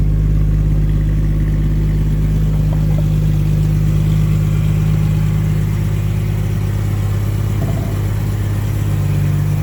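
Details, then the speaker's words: 1989 Jaguar XJS V12 coupe with straight-through stainless pipes replacing rear mid silencers, in first gear revving to 4,000-5,000 rpm: smooth heavy even rumble with high-pitched note, no ticking, knocking or exhaust leak; normal running. "Yes, that sound up at 4,000-5,000 is exactly what I wanted it to sound like. That's brilliant. Maybe it needs an X pipe, though. It's that high pitch I really like."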